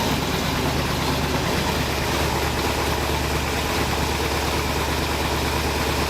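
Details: 1981 Oldsmobile Cutlass Supreme with swapped small-block V8, new headers, just after starter fix and at cam break-in: steady, deep, even V8 burble with unbroken rhythm, no knocks or misses; normal healthy running.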